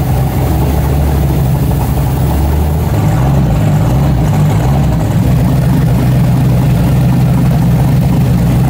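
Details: 1970.5 Camaro Z/28 drag car (7.50 Index), LS6 V8 on FT550 EFI, TPS-based tune, wasted spark, on hub dyno; deep, lumpy, stumbling note; timing found about 20° off, fixed by adding 20°; rough running from retarded timing.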